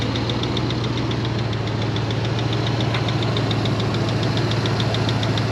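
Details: One of several long-unused vehicles, started after battery charging and driven up the driveway: hot engine idling with fast, light, regular ticking over a steady low drone; ticking at idle, cause not identified.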